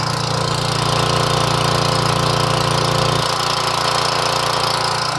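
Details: Portable gas generator after carburetor replacement, primed and started, output about 118V: the engine settles into a steady, even drone with no surging or hunting; normal running.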